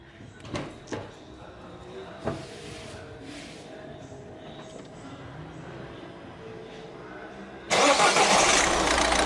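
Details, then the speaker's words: Peugeot 3008/308 diesel after injector cleaning and bench testing and replacement of the rail pressure sensor: clicks and handling, then the engine cranks and catches into a steady, even run; normal idle after repair. "تو لاباس ان شاء الله."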